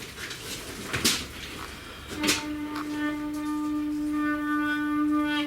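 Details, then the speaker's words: Yamaha YBR 125, before cleaning the rear brake pads: after a few handling knocks, a steady high squeal holds for about three seconds as the rear brake drags. Rear brake squeal; the owner suspects the pads. "сейчас я буду на мотоцикле u15 чистить задние колодки потому что они у меня скрипят вот сами"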